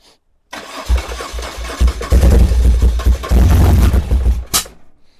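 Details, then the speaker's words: 1978 BMW R100S airhead twin after years of storage, with starting fluid sprayed into the left carb. It catches in lumpy bursts, then stumbles and dies back, firing on only one side. The left Mikuni TM38 is fuel-starved, its passages suspected blocked by gummy gas. "Alright, I'm pretty sure that's only one cylinder on this side."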